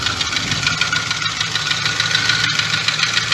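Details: VW Jetta A3 2.0 petrol, unstable and stalling at lights, fuel pump suspected: idle sounds dry and clattery with an uneven beat; rough running, compression test and fault codes pending, cause not confirmed.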